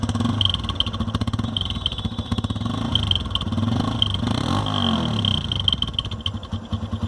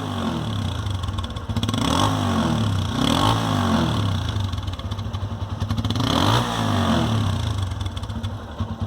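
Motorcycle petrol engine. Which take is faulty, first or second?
first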